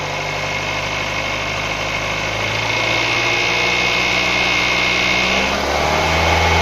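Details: 2012 Nissan Tiida, HR16 four-cylinder, automatic, idling with a fast light metallic rattle that persists after timing chain, tensioner, rails and sprocket were replaced; cause unresolved.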